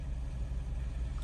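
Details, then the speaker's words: 2008 Jeep Wrangler Unlimited JKU 3.8L V6 after replacing the Bank 2 Sensor 2 O2 sensor (code P0158): steady low idle with an even pulse, no hunting or stumble; rpm now holds still where it was rough before. "That's a lot better. The RPMs were really rough and you can see that when I first started it up, you can see the RPMs moving, and now they're pretty much standing still."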